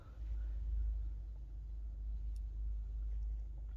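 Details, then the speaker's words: Kea motorhome water pump with tap closed: steady low drone, pump cycling on and off instead of holding pressure because a leak in the plumbing bleeds off pressure. "as you can see see the pump is coming on and off this should not be the case it should hold pressure"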